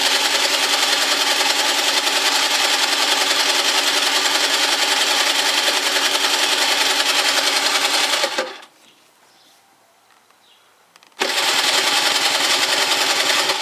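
Rapid, regular starter churning of about three and a half strokes a second, a pause, then more cranking; the engine never fires.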